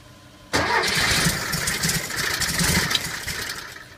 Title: Engine won't start 2 again